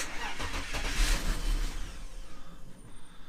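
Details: BMW E39 with 150,000 miles, sitting a while, no power steering fluid, fuel pump heard priming; irregular cranking with a few rough bursts that die without catching. It cranks but won't start.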